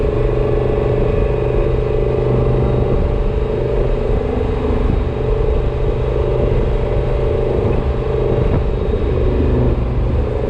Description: Not sure if this whining is normal or not